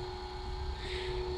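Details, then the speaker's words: Philips pasta maker, restarted after an EEEE error: a low, laboured motor drone that never picks up, with the extruder straining against overly dry, hard dough and little pasta coming out. "So you can hear the motor struggling. Little bit of pasta coming out."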